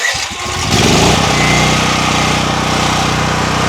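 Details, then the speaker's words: DuroMax XP13000EH dual-fuel generator on propane, after an oil change, cold start before warm-up, idle control off: brief cranking, then catches at once and settles to a steady, even run with no stumbling; normal start and run. "like that, it's working pretty good. Started right up. We let it warm up and we can put the idle control on, which will idle it down, but you want it warm first."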